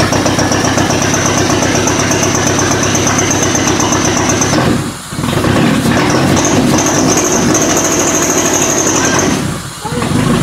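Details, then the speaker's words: Toyota Camry demolition derby car running on jumped computer power and limited wiring after days of no start: steady but lumpy, ragged beat; rough running, owner suspects fuel flooded into the exhaust. "She's not happy. Huh? She's not happy. Well, she's probably got fucking 10 liters of fuel in the exhaust."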